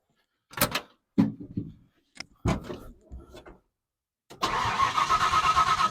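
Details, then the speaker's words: 1970 Ford Falcon with 5.0 small-block Ford swap, after carb clean and rebuild: short cranking bursts fire on primed fuel squirted down the carb, then a brief ragged run fades; carb not holding fuel, fuel starvation. "I wasn't getting fueled through I'm not getting dark when we turn it around so I'm just burning up Fuel and it's not uh holding gas so something I messed up on the carb"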